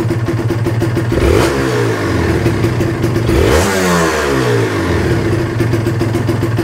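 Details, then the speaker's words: Kawasaki Ninja two-stroke after compression/carbon work, stock exhaust, weak battery: crisp buzz at idle, revs rise and fall cleanly with no rattle or misfire; sounds smooth. Normal revving. "sama kayak motor Ninja gua kayak gini suaranya Waduh terdengarnya m e masih adem ya guys ya terdengarnya"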